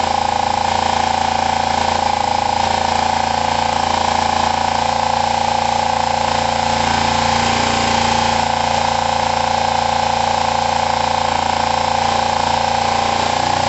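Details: Kawasaki ER5 parallel twin after valve clearance and timing were set. Idle is rough and lumpy with a sharp tone on top and seems high. The owner suspects it is firing on one cylinder.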